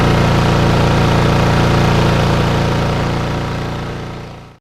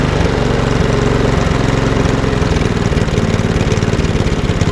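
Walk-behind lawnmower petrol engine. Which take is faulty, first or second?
second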